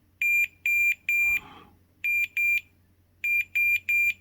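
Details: Warn ProVantage 3500 winch (customer reports it won't spool in or out; contactor block replaced without change; intermittent fault, green wire suspected) wiring continuity test: clean high-pitched beeps in short bursts each time the probes touch; wire shows good continuity.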